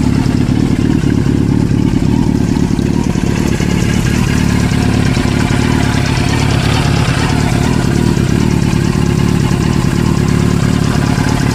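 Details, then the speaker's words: Suzuki RF900 at idle: a steady four-cylinder rumble with a faint, quick tapping from the engine. "It's not the best quality video, but I think you can actually figure out what the tapping noise was."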